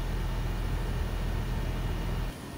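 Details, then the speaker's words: Newly installed Trane 20 SEER zoned system replacing a 5-ton Lennox: a steady low fan rumble, compressor barely audible, no rattles or buzzing; very quiet, normal running. "it is a beautiful system very get down quiet might be able to hear the compressor a little bit"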